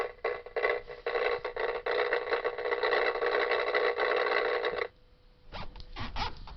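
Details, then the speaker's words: Truck speakers burst into a harsh, raspy buzz with each spark of a flickering nearby light, then cut out; the CB radio antenna is suspected of picking up the spark interference. "So you hear that really annoying buzzing noise? I thought it was that light bulb, because it always makes that noise."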